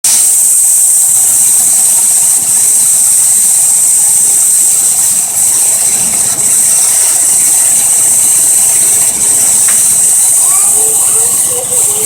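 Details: 2004 Jeep Liberty 3.7: loud, steady high hiss over a faint rough idle, like air being sucked in; owner suspects a vacuum leak.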